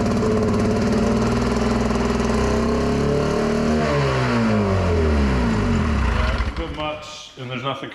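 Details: 1961 Scott-McCulloch motorboat engine that hadn't run in 60 years, on its first start with the throttle plates closed. It runs fast and buzzy, the pitch sagging only a little before it dies off; idle set too high, likely not yet on its own fuel.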